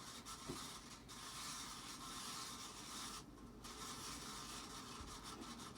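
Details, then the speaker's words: Casablanca Panama ceiling fan dated 5/25/1993, rescued from scrap, running at speed 4: a dry, continuous scraping rasp with slow uneven swells. Rusty, worn bearings are dragging, likely from being left in the rain. "There we go, it gets moving. And yeah, you hear it. I think these were actually left out in the rain somewhere, because there is a fair amount of rust on this one especially. So that could have definitely done it."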